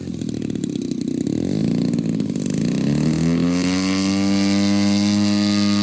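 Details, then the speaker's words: Top Flite giant P-40 RC plane, BLE 55 rear-exhaust engine, maiden flight, high end still slightly rich: note climbs from rough drone to clean steady buzz at half throttle, pulling evenly without misses; normal running. "What engine in that puppy? BLE 55 rear exhaust. No problem hauling the mail. That's only half throttle."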